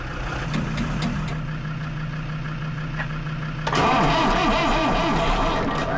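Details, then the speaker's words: Lansing Bagnall Model A tug with Perkins P4 diesel: slow labored cranking with heat applied, cylinders briefly catch rougher and louder but never run; has compression, starter turning slower than wanted, cause not found. "oh dear sounds like she's wanting to go but it's not having it"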